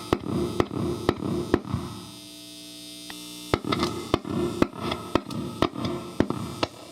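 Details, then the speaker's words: Fender-style single-coil guitar pickup with its magnet wire insulation stripped and shorted to the pole pieces. Tap test with the leads reversed gives sharp taps over a loud, steady buzz when the pole pieces are touched. Excess hum from shorted pickup. "but when the leads are reversed you get a loud buzz if you touch your fingers to the pole pieces"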